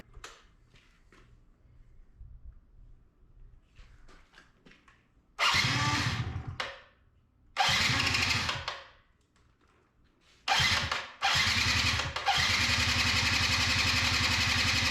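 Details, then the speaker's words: 2005 Yamaha YW50 Zuma 50cc two-stroke scooter being revived: several starter bursts spin the engine freely but it never fires, likely because no fuel is reaching the carburetor bowl; cranks but won't start, no fuel. "yeah probably just has no fuel let me bleed the bowl"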